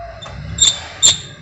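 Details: Honda Civic water pump turned by hand after the accessory belt and tensioner were removed over a belt noise complaint: three sharp, high squeaky chirps about every half second, from a worn pump bearing with play.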